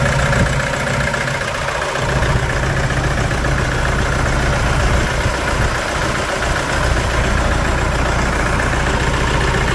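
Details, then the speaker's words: 2011 Toyota Hilux 2.5 diesel lacking power, scan shows pump valve code: rough uneven idle with irregular stumbles about three or four a second; misfire from contaminated fuel, injectors, pump and tank to be removed and cleaned. "isso que você está vendo na tela é um motor diesel falhando Hilux 2.5 olha ó"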